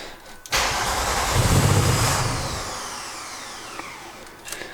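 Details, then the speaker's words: Mk3 VW Golf VR6 starting after a fuel filter replacement and fuel pump priming: short crank, catches with a quick rev, settles into a steady idle without stumbling, no leaks; normal engine start. "Expect the first idle will be a bit rough to begin with, and then it should tidy up nicely."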